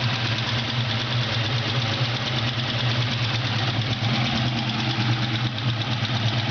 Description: mustang gt 4.6l ticking sound